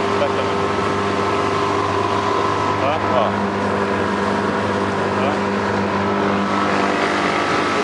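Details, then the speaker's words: Original Tohatsu 20 HP outboard running on a boat at the Nazaré Paulista reservoir, cooling normally: a steady, even drone with a constant buzzy pitch and no misses or knocks; it runs smoothly and sounds healthy. "tem entrada para farol de pilha, tá refrigerando normal, tá? Tá redondinho, tá?"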